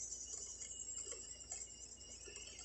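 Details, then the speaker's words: Handheld 3D printing pen feeding PLA at 195° resting temperature on speed setting one: faint steady high-pitched motor whine with light ticking, the feed motor running normally. "and you'll hear the motors change whenever it makes it to the end starts experiencing pressure"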